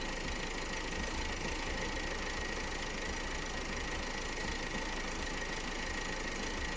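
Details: Opel Astra J 1.6 diesel B16DTH with only 55,000 km, running strangely: uneven knocking clatter under a steady idle hum; cause unclear.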